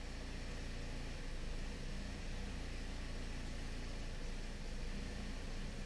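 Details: 2009 Toyota Corolla 1.8L with P0302 and a flashing check engine light, idling in closed loop. Quiet idle with an uneven, stumbling beat that drops pulses. Cylinder 2 misfire counts and high negative short-term trims point to the ignition side. Ignition coil misfire.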